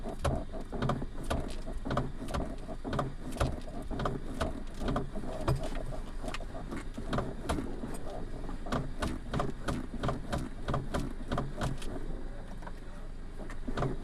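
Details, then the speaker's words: Maruti Suzuki Ignis: sharp, fairly regular clicks about three per second while the steering wheel is turned, indicating a steering fault. Clicking noise when turning the steering. "ये जो starring है, यह जो wheel है, इसको हम ऐसे करते हैं तो आवाज आती है।"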